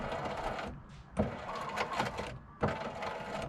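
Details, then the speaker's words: Irregular ratcheting and grinding bursts each time the front window moves up or down on a 2007 Ford F150 cable-type regulator; broken cable or cable guide, fixed by replacing regulator with motor; power window regulator cable failure. "this is a cable type window regulator. It's either going to be the cable that's broken or the cable guide that's broken."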